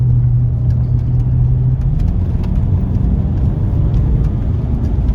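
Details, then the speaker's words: Range Rover L322 TDV8 diesel on a drive after fuel-system and injector cleaning with Cataclean, in sport mode: deep, even rumble building smoothly under acceleration over road noise, no misfire; healthy engine. "Let's give it a bit of sport mode, shall we? Sounds so nice."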